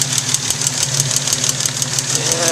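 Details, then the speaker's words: 1956 Jaguar XK140 at steady idle: sharp, even ticking about six times a second from a couple of valves with excessive clearance; fix is removing the valve covers (also curing gasket leaks) and replacing shims to set clearances. "I'm also hoping you can hear the ticking noise from the valves there are a couple of valves that are excessively noisy the only way to get rid of the noise is to adjust the valves"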